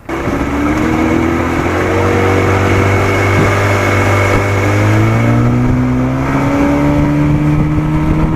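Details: 1987 Johnson 40hp two-stroke outboard, old original coils, after setting WOT timing by the Joe Reeves method, with worn motor mounts: strong, clean drone climbing smoothly as the throttle opens, no misses or knocks. Healthy at speed.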